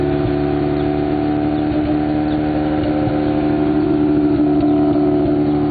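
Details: 1991 Mazda RX-7 (S5) NA street-port rotary with headers and possibly Racing Beat cat-back: scattered sharp exhaust pops and crackles over lumpy, uneven idle hum; afterburn at idle, owner doubts vacuum leak.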